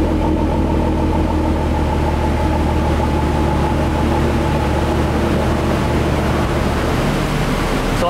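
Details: Ford Mustang with swapped 3.5L EcoBoost, direct plus port injection, idling on E85 on its first-startup tune: steady low hum with faint even pulse, no knocks or misses, quieter and smoother than on 91 fuel; normal idle.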